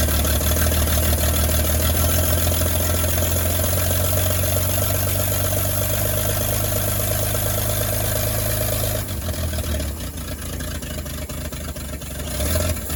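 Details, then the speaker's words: 1938 Chevy Master Deluxe six, chilly Alaska September, with rebuilt carburetor and starter from a 1942 G506: deep, steady idle rumble holding an even beat for several seconds before easing off; runs very well, normal idle. "foreign this thing runs just way too good things absolutely awesome"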